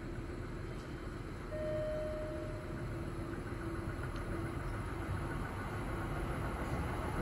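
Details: Kintetsu 2000 series semi-express to Nagoya passing Fushiya without stopping: rumble with a dull repeating thump, about four a second, from a wheel flat spot.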